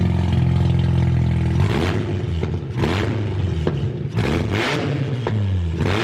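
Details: BMW E36 ute with a 13B rotary, first start after rewiring: sharp, raspy revs rise and fall over a crackling, unmuffled bark; running an open header with no muffler, one to be welded on.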